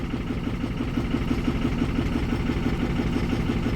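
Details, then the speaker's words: 2006 Ford 6.0 Power Stroke diesel, bought as a crank-no-start, idling at about 900 psi high-pressure oil with zero low-pressure oil reading: lumpy, uneven chuffing idle; cylinders seven and eight appear dead though injectors passed the buzz test, possibly low compression. "can tell it's running extremely rough it's still showing zero low pressure oil um we are idling at the desired about 900 or so PSI of high pressure oil"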